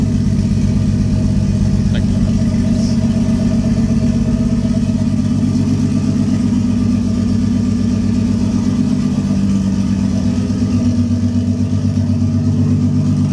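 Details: 1JZ-swapped Lexus IS300 first start: steady idle with an uneven, stumbling pulse two to three times a second; misfire caused by a failed coil pack, later replaced.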